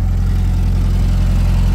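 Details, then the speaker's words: Car warmed up after restart: smooth, even low idle with a steady beat, very responsive; owner suspects the very carboned last spark plug pulled caused the earlier issue. "very responsive the the last plug I pulled out was very carboned up so could have been the issue"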